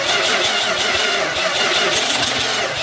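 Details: Dodge D200 truck after wiring and fuel work, ether sprayed, carburetor needing a kit: steady fast cranking with rough uneven catching over a busy hiss, never settling into a run, not starting.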